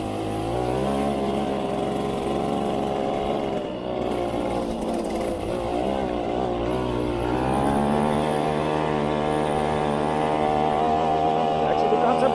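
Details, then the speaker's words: 1973 Casal K197 moped, Portuguese-built under Zündapp licence, two-stroke, run after refuelling: crisp buzzy note climbing smoothly as it pulls uphill under load, firing evenly with no misses or knocks; needs slight adjustment. "oh it actually got pulling power it's going uphill"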